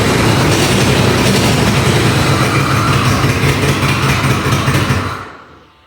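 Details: Ford Bronco II engine started on starter fluid after the exhaust was welded: a loud raspy chuffing over a rough, uneven idle until shutoff. It is a massive exhaust leak from the empty O2 sensor port, with a fuel leak present; the engine otherwise sounds healthy.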